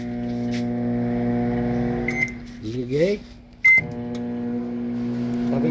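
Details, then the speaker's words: Electrolux MF41 31-litre microwave after incorrect repair with oversized transformer: heavy, steady low mains hum with a jolt at switch-on; loud transformer hum. "vendo o barulho gente barulho bem pesado e dá até um trampo na hora de ligar"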